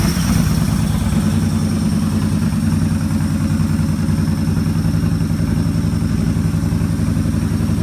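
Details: Motorcycle just fitted with a Digital Guard Dawg KIM-P RFID keyless system, started with the fob in a pocket and no key in the ignition. The engine catches quickly and settles into a smooth, even idle with no misses or knocks: a normal start and idle.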